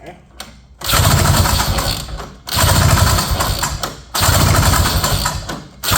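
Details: 1970 Ski-Doo Olympique 335 snowmobile, long unused, carb and fuel pump primed, no kill switch fitted: three pull-start attempts about two seconds apart, each a brief rough churn that dies without firing; cranks but won't start.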